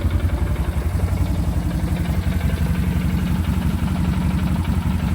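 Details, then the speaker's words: 2009 Arctic Cat 1000 ATV starting easily and idling: deep, steady, even thump, no misses or knocks; normal idle. "Starts up super easy as you can tell."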